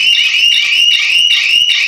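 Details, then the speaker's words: Shop shutter anti-theft alarm: a loud, piercing warbling siren triggered by even slight movement of the shutter, audible up to about 100 m, while alerts are sent to set phone numbers. "అంటే ఇప్పుడు ఇది fit చేసుకుంటే shutter ఏమాత్రం కొంచెం లావట్టినా కూడా ఇలాంటి sound వస్తుంది. ఇది దగ్గర 100 మీటర్ల వరకు వినిపిస్తుంది."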